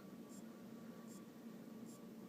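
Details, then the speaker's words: AOpen LCD monitor that will not power on, after capacitor replacement and checks of the power board's rectifier and transistor: a faint, regular clock-like tick about every 0.8 seconds; the source is uncertain and the causing component is not yet identified. "este me encuentro con que hay un ruido pare parece como el de un Ah"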